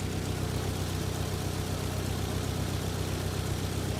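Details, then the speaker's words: Nissan 200SX S12, 40-year-old single overhead cam turbo engine idling lumpy: cylinder 2 mostly dead, occasionally pinging; suspected debris blocking its fuel injector line after running a while. "Sadly, number 2 is not magically coming back to life. Not yet, anyway. I'll give it some time. I hate running it down a cylinder, but we gotta give it a chance to work."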